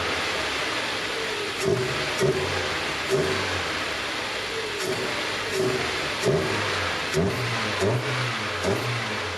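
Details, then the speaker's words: Nissan Micra (March) track car after fitting new induction kit and short-ratio gearbox from a 1.0 Micra; repeated quick revs with clean rising intake roar and smooth return to idle, normal induction noise. "even if I don't see any power games it's always really nice to hear that induction noise"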